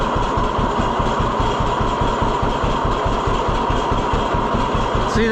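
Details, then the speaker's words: 1948 John Deere B tractor after Wico X magneto work: slow, even two-cylinder popping at idle, about two and a half pulses a second, no misfires. It fires back up instantly; the hotter spark is credited for the improvement. "Oh, fires back up instantly, though. That's how I know it it did make a difference."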